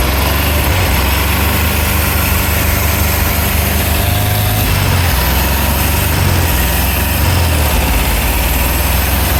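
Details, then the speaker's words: 1964 VW Beetle, original 40 hp engine, first run after sitting about 30 years, old green fuel flushed: loud, coarse, uneven idle with clatter, revved up and down; rough running, low power, rings may be setting, owner thinks it needs a rebuild. "It's definitely low on power, but we're trying to set the rings right now. Um, rev it up and down. So, this thing's pretty clean, but it definitely needs some working."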